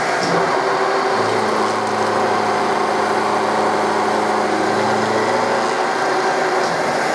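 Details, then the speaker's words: Milling machine cutting aluminum with Coromill 300 at 1600 rpm, 1600 mm/min feed, 0.25 mm per tooth, depth near recommended maximum: steady hum and cutting tone; spindle motor straining near stall. "but uh the motor also sounds like it won't take too much before it stalls"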